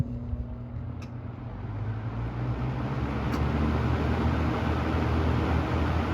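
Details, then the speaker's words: 1981 Lakewood K-223 fan, motor dated August 1981: low hum swells slowly for several seconds before reaching speed; slow motor startup, cause unclear, with motor whine and suspected switch buzz. "bit of a slower startup my fan goes right up to speed this is one took a minute and they use this on high a lot which I don't agree with"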